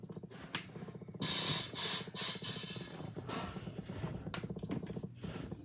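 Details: Sharp hissing bursts come and go over rapid faint ticking from dive gear with a light attached; gas leak suspected, maybe a hose, but soapy water showed no bubbles, so the spot was not found.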